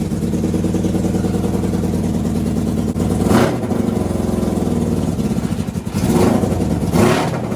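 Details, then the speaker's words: NasKart engine: it revs, then stumbles and pops unevenly, with a few coughs breaking the pull; misfire from fuel starvation because the fuel pump switch was off. "That's the misfire right there. Wait a minute, why is the fuel pump off? So that actually sounded like fuel starvation from the switch being off."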